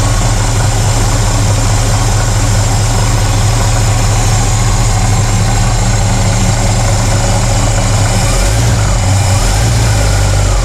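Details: 1968 Pontiac LeMans cold-started after sitting most of winter, warmed up until idling without pedal: deep, steady, even idle with no misses, knocks or hunting; healthy warm engine.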